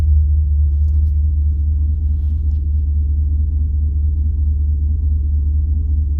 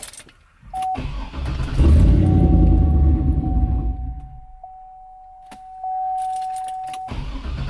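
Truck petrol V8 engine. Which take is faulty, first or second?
second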